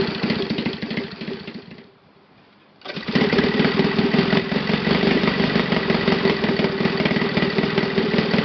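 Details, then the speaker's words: Saito FA 270T model engine on stand, first run after eBay purchase and kerosene cleaning, hand-started: quick, even, steady putter with no misses or surging; normal clean idle. "That's idle, and that sound I like very, very much."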